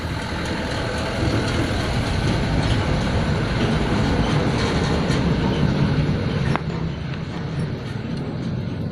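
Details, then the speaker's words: Honda Supra underbone motorcycle that is hard to start: after a part is replaced, the engine catches and runs ragged with uneven firing for a few seconds, then dies. Valve clearance adjustment follows. "ya udah mau Idup tapi masih berobat Ya tuh masih matikan tiga saja masih mati kalau nggak kuat"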